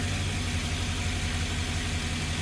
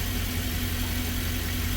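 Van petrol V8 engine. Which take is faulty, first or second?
second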